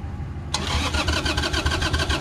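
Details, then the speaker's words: 2002 Harley-Davidson Sportster, just after carburetor cleaning (fuel jet and air jet cleared). After a short crank it fires straight up into a lumpy but steady V-twin beat with crisp blips, starting much easier and sounding better than before: normal start. "on oh that sounds nice [Music] sounds a lot better can you get first well we'll let it run for a minute then we'll see if we get further but that sounds a lot better and starting a lot easier"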